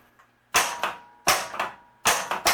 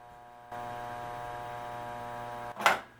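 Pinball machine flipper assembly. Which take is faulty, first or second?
second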